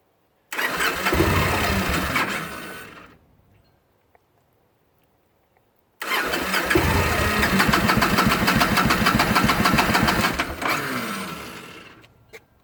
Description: 2009 Victory Kingpin, hard starting after running, then stopping for 10 min, then starting again.